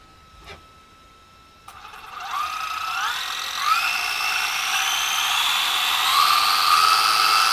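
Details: Rlaarlo AM-D12 RC desert truck on a 3S battery after a diff failure, now fitted with steel helical gears and 100,000 weight diff syrup. A smooth, even whine rises as the wheels spin up, with no clicking or grinding; the drivetrain is quieter and healthy.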